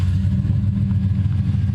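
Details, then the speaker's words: ManiArk car started up with catalytic converters removed, no cat: deep, loud, throbbing exhaust rumble with no high-pitched content, pulsing as it revs; loud exhaust from the missing cats. "engine live data man listen to that no cat"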